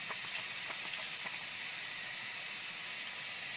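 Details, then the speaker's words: 1978 C3 Corvette with LS1 engine and fabricated Holset HX55 turbo kit, boost leak-down test with shop air at turbo intake, engine off: steady high airy hiss; small bubbles at blow-off valve show a boost leak. "also has some small bubbles which means a boost leak so that's a good way to test for boost leaks and track down their location"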